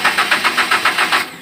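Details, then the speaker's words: Daihatsu Gran Max, hard to start: starter cranks evenly repeatedly but engine won't fire; scan shows P0303 cylinder 3 misfire. "kita start beberapa kali tidak mau hidup kita sudah scan menggunakan [Musik] p0303"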